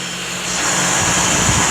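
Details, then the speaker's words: Homemade shop fan driven by an old inground pool pump motor, three blades, caged: steady high whoosh of air over even motor hum, no rattles or rubbing, spinning very fast at full speed; normal running. "it's spinning very very fast yeah actually does run"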